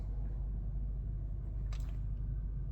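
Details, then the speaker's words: Lexus LS400 at idle about 800 rpm, windows and sunroof closed, air conditioning running: only a faint, smooth low rumble with no knocks or ticks; normal idle. "barely hear the engine running looks like we're idling about 800"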